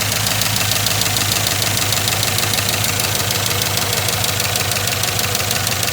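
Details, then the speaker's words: 2007 Chevy Avalanche 5.3 V8 with AFM, after head work and partial lifter replacement, idling; fast light ticking over a steady idle, about three a second, stethoscope places it around cylinder 3; oil topped up; owner suspects a lifter. "And they all sound like they're ticking a little bit more, you know. I don't get it. The oil's topped up, antifreeze topped up. Like, man, I was expecting this thing to fire it up and nice and quiet. Ticking. I put my stethoscope on it and it sounds like it's right in here."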